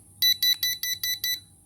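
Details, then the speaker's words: Cheap smoke detector powered by a 9-volt battery, sounded by pressing its test button: six sharp, high-pitched beeps evenly spaced over about a second, then quiet; normal smoke alarm test beeps, sounder working. "And once we install the battery, we can check the device by pressing this button. It will produce a sound like this."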